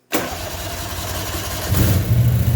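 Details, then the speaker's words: Toro Workmaster three-wheeler under restoration, restarted at half throttle two minutes after stopping, previously crank-no-start from fuel supply: fires at once on choke, idle rises slightly then holds steady and even; normal choke start. "see but the choke it starts really nice whereas before it wouldn't"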